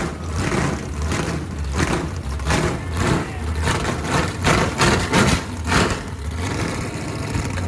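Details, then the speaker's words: Chevy 350 small block, ex-Camaro, first start after sitting for years, revived with fresh gas and spark: deep V8 rumble with repeated throttle swells, no knocks or misfires; runs healthy. "i'd say that worked pretty good and it sounds just as good as i remember what do you think"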